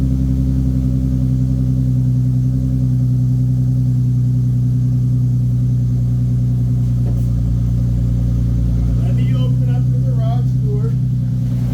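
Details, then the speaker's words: 2015 Nissan 370Z after front-end collision and frame repair, idling after its cold start: smooth, even low idle with steady hum, no knocks, ticks or hunting; running good, healthy idle. "all right it's running good it is literally daytime"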